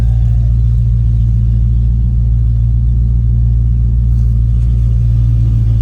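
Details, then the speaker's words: 1989 Ford F-250 big-block V8 at idle with no catalytic converters, a 3-inch exhaust and a near-straight muffler ending behind the passenger cab: a deep, even, loud droning rumble with no knocks; owner thinks idle seems high but it may just be exhaust loudness. "Could just be the exhaust just being loud. I drove it for about 15-20 minutes earlier today, and I just got done and had a freaking migraine. It's a lot of drone."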